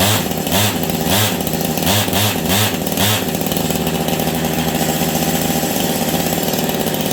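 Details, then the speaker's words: Husqvarna 385 chainsaw that sat on a shelf for years: fires and runs, but revs surge briefly and fall back, never climbing; air leak suspected. "I don't know what's going on but it sounds like the clutch is grabbing but it's not um did you guys hear that it sounds like the clutch is grabbing on this thing but it's not it's the saw will not throttle up on it for me to save my life"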